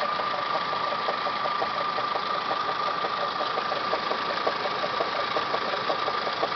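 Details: Toyota Camry 5S-FE four-cylinder idling, timing belt job done Feb 2011: steady whine and fast uneven ticking from timing belt/water pump area, started a few days ago.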